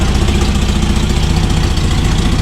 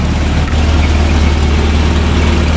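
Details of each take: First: Toyota RA40 22RE running in freezing cold after the cold-start fix: fast, sharp ticking that keeps pace with a rough low idle; loud exhaust leak where a mismatched Corona/Celica exhaust was forced together. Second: Toyota RA40 with a 22RE engine, after the cold start issue was fixed: a loud, steady low rumble with an even beat and no misses or knocks. The cold engine idles cleanly.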